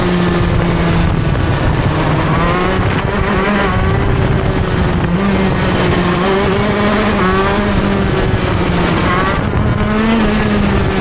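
A high-revving two-stroke note that sags and struggles to climb again after each slowdown; the engine is bogging when pulling out of corners.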